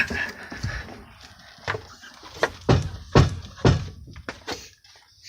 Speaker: The rear is hitting the frame. If that piece wasn't there, it'd give a little more, but you can see how much them leaf springs are bowed.